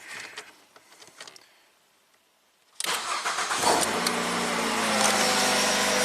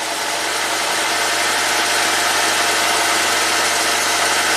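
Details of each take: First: 2009 Ford Fusion, previously a no-crank after owner tampering: after replacing a blown fuse and flipping a reversed diode, engine catches at once and settles into a steady even idle with no stumbling; starts normally. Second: 2009 Ford Fusion, PCM tampered with by owner: uneven hissy hum with lumpy beat at idle, running super rich; mass airflow sensor reads zero g/s while running though it responds with key on, cause not yet found.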